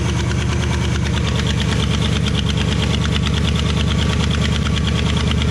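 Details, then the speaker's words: Project vehicle bought as not running, with wiring reportedly eaten by ground squirrels; gas added to the main tank, water not yet checked. Test run is loud and steady, with an even low beat and no knocks or misses; sounds healthy, normal running. "we did wind up adding a little bit of gas to the main tank on this uh and it drew from that so all good there and other than that we're good to go so back to me test running it"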